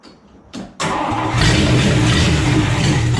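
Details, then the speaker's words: Old Dodge farm truck, 313 Wedge V8, dead cold first start with no exhaust pipes fitted: starter cranks briefly, then it catches and settles into a loud raw even rumble; starts and runs cleanly. "it started did you hear it no pipes i am literally speechless"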